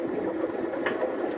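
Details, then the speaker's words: 1928 engine (1928 Regular) being rebuilt, slowly turned over by hand: soft scraping rumble with a sharp click from stuck or sticky valve lifters popping back down; bearings good, turns smoothly. "because that's just the lifters some of them are stuck or some of them are kind of sticky so they tend to get stuck when they're when they get pushed up and then they pop back down which makes a clicking sound"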